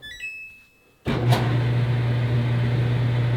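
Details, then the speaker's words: Samsung dryer after replacing the cracked, warped drum that caused clunking and leaking: start beeps then smooth, steady low drum hum with no clunks; normal running after repair. "we have a very quiet dryer as you've heard before it was not quiet"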